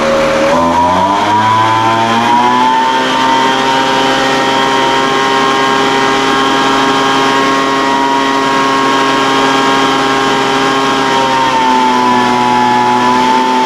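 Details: Older Craftsman 200mph two-stroke blower, sat unknown time, restarted after the high-speed mixture was opened slightly: high-revving scream wavers and climbs, then steadies with a brief dip. Top-end mixture unsettled; carburetor acting funny after sitting.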